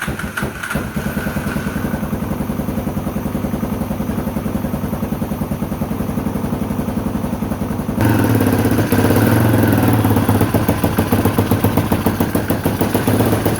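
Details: Honda XL250R with swapped-in electric-start CBX250 engine, first start on choke: single thumps steadily about three and a half beats a second, then picks up smoothly; runs well.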